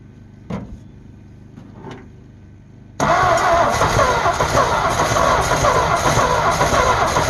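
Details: Abandoned 1948 Ford F5 bus after sitting 25 years, charger connected: after a quiet stretch the starter churns steadily about three to four beats a second without catching; owner suspects weak battery.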